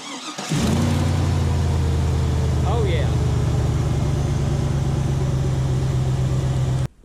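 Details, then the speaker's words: Chevrolet Avalanche with LS V8 after fan clutch replacement, first start: engine catches and settles into a steady idle under a loud, even whooshing fan-clutch roar, expected at cold start with a new clutch; normal. "so we're gonna start this up for the first time and it should make a big crutch fan noise like whoa boss"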